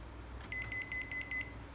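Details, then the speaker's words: Panasonic air purifier tip-over sensor alarm: five short evenly spaced high beeps when the magnet is removed; placing the magnet back and power-cycling stops the beeping. "Các bác lưu ý, em bỏ ra này, bỏ cục nam châm ra này. Đấy, máy lại kêu tít tít."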